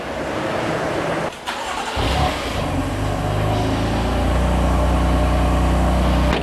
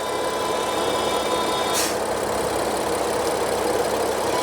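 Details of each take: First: BMW F80 M3 after replacing rocker cover with integrated oil separator whose torn membrane caused a high-pitched whistle: engine cranks, starts and idles evenly with no whistle. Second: BMW F80 M3, idling: thin, steady high-pitched whistle caused by a torn oil separator diaphragm in the rocker cover; vacuum whistle, fixed by replacing the cover with a genuine part.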